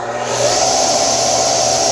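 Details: Old Craftsman table saw after a drive motor pulley change to lower the RPM and a link belt fitted to reduce vibration: motor hums at a constant even pitch, with no thumping, rattle or wobble. Normal smooth running.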